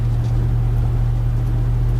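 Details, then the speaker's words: Truck with a new driveshaft balanced by indicator without weights: no hum at 70–80 mph, but at about 67.5–68 mph a deep, loud rumble like riding on rumble strips that fades above or below that speed; owner suspects driveshaft balance. "But when I get down, I'm 68. I'm 67. 5. And there it is. It's like I'm riding on rumble strips. It's kind of loud too."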